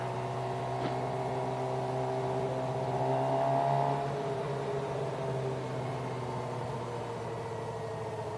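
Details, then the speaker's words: Motorcycle held in first gear on the freeway at about 50 mph and 10,000 RPM: a high, strained, loud tone climbs and holds, sounding about to explode; it needs an upshift. "I'm about 50 miles an hour, and I'm pretty sure you guys can hear that. My RPMs is at 10, and it feels like the bike, it sounds like the bike is about to explode."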